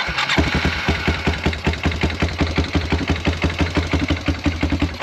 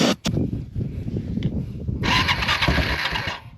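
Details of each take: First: Roughly 2000 Yamaha Timberwolf 250 4WD ATV, bought not running, after a new carburetor and spark plug, started by jumping the relay: catches right away and settles into an even single-cylinder thump at idle. Finding: normal start and idle. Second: Yamaha Timberwolf 250 4WD ATV, believed a 2000 model, bought non-running, carb tampered, stored 5 years, starter relay jumped: cranks, briefly catches with rough burst then dies; has spark, owner suspects no fuel. Cranks, fires briefly but won't run.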